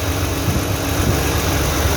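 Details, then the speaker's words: 2009 Toyota Highlander/Kluger 3.5 V6 after replacing the noisy drive belt tensioner and serpentine belt: steady, even low idle rumble with no squeal, chirp or rattle from the belt side; normal idle. "can see no any noise now so this is the end of the video thanks for watching my videos we see you in the next one thanks"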